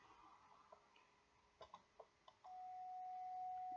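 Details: mcHF transmitter during TX IQ-balance calibration, transmitting at 28.124 MHz USB and heard on an Icom receiver set to 28.100 LSB: quiet hiss, then a clear, steady tone on the wrong sideband. Unsuppressed image from IQ imbalance, to be nulled.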